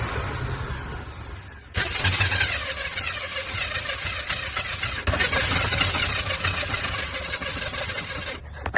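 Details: Chevrolet squarebody truck with new fuel lines, fuel system split to test the pump: steady starter churning for several seconds with no catch; cranks but won't start.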